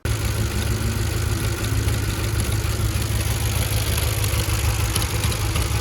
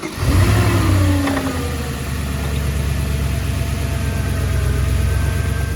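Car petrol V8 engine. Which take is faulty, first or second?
first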